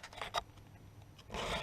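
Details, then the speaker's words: Filing a chainsaw chain by hand: rasping file strokes with brief sharp squeaks on two passes, caused by filing straight across the tooth; filing on an angle tends to avoid the squeak. "it instead of coming straight across you hear that squeak hear that squeak if you turn on an angle I don't know why it's just the way the metal is it tends to not do it"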